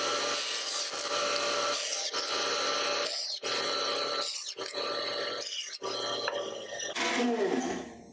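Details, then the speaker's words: Wood-cutting band saw making short straight cuts, holding the handle with the material held against a single reference surface: steady blade hum with repeated rasping bursts as each cut goes through the wood; normal cutting. "So holding on to this, by holding the handle and holding my material against this reference surface, I can make nice straight little cuts."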